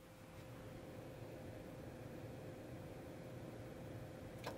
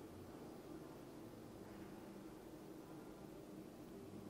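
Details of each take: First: Dometic 12,000 BTU forced-air furnace in a Four Wheel Camper, battery at only 11.96 V: steady blower rush, propane valve clunks open but no spark ticking or ignition; suspected fan running too slowly from low voltage, battery charger next. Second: Dometic (formerly Atwood) 12,000 BTU forced-air furnace in a Four Wheel Camper, lit: quiet steady blower rush and soft even hum, fan running, propane flowing, burner burning normally.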